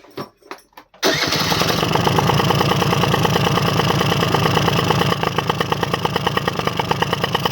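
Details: AF18E two-stroke engine swapped into an AF09 scooter, start-up after fitting a new part with fuel visible inside it: a few cranks, then it catches and settles into a steady, even popping run; healthy.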